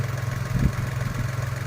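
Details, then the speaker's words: Nissan Almera/March after replacing a faulty spark plug ignition coil that caused stumbling, shaking and a check-engine light: a low, even idle with a steady pulse and no stumbles; the engine now runs smoothly. "มีเสียงนิ่มขึ้นแล้วครับยังสะดุดไม่มีและเสียงนิ่มเดี๋ยวก็นุ่มเหมือนเดิมครับ"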